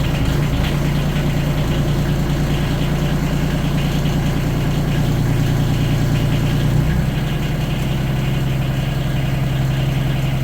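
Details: Used Yanmar 3TNV70 diesel swapped from a JD Gator into a CAT 300.9 mini excavator; quiet even low thrum dipping slightly as load comes on, no smoke, quieter than old engine: normal idle.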